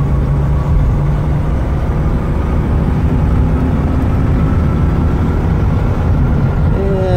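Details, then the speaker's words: 1998 Ford E-150 mobility van, 92k miles, floored uphill and reaching about 62 mph; steady, even V8 drone with no knocks or misses, a smooth pull, healthy engine under full throttle. "Definitely not a hot rod, we're going uphill here, but I'm gonna give it some gas. I'll floor it there, see"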